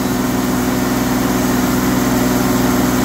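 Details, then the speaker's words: Sawmill with carbide blade slabbing a pecan log over 2 ft wide, fed slowly: steady engine drone with a smooth, quiet cut and no chatter or squeal; cutting cleanly. "I mean you can hear it but it's really not that loud that carbide blade is just so quiet cutting through this wood"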